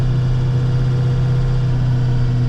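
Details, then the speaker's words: Plow truck salting its route at about 22°F before dawn: a steady low hum that goes with wheel rotation, without knocks or grinding. The driver suspects a wheel bearing but is unsure of the cause. "but my truck is making a new noise it kind of sounds like a wheel bearing or something like that I'm not exactly sure what it is it's a bit of like a a humming noise that goes with the rotation"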